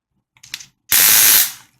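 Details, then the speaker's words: Amope Wet and Dry motorized foot file, bought new last week: normal motor whir interrupted by bursts of harsh rapid clicking while filing, like a stripped gear; owner first suspected broken gears, roller head may be to blame. "what my problem is I think I got a lemon when I'm running this it makes a lot of noise clicking noise as I will demonstrate"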